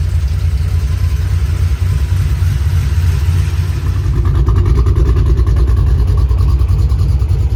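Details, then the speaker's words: 3V Mustang GT 4.6 V8, newly installed engine with new clutch, flywheel, headers and Steeda underdrive pulleys, after first start: deep loud exhaust burble rising cleanly with each throttle blip, no tapping or knocking; normal running, engine healthy. "So it ran really good. I drove it. Clutch feels smooth. Everything feels good."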